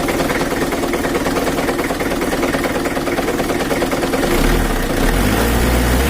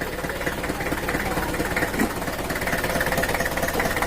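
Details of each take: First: Mitsubishi Kuda 4D56 diesel, idle with the injection pump not yet adjusted: a rough idle with a dull knock about three times a second that keeps time with the engine, which the mechanic attributes to a loose, wobbling crankshaft pulley. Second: Mitsubishi Kuda 4D56 diesel at idle after the repair, started briefly without the radiator: a steady idle with an even, soft clatter and no knock left, clean like a standard diesel; normal idle, injection pump still to be adjusted.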